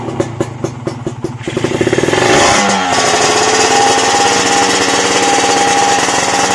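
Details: Kawasaki Ninja two-stroke after repairing a burnt, shorted wire that caused power loss, hard starting and dead electrics: a few uneven pops, then the engine catches and revs cleanly with a strong steady note; running properly.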